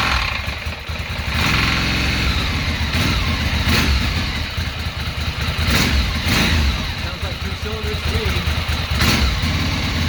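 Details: 2006 Ducati Monster S2R 800 V-twin, first run in many years after fuel pump replacement and injector cleaning, fresh fuel: catches after a brief crank, settles into a loping twin idle with throttle blips; sounds healthy.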